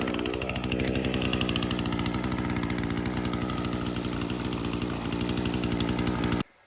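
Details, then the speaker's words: Echo SRM-225 two-stroke string trimmer, bought non-running, now cutting: steady high buzz holding even revs, no stumbles or misses; runs strong and healthy. "and just like that, we got a good working Echo string trimmer."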